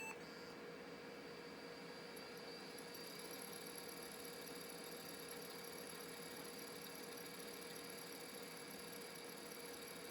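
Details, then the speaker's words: Old laptop IDE hard drive, tested through an EZ-Gig adapter on a Compaq running Windows 95/XP. Quiet, constant thin high whistle with a faint mid hum over hiss and no clicking; the failing drive squeals as it spins and is starting to die. "As you can tell from the noise, it's starting to die."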